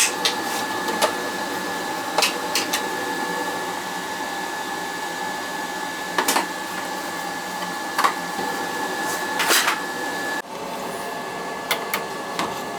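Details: Riello oil burner on an NTI boiler, annual service, TT jumped to fire: steady even drone with a clear humming tone and a few small clicks. Normal clean running after a new nozzle and boiler cleaning earlier this year.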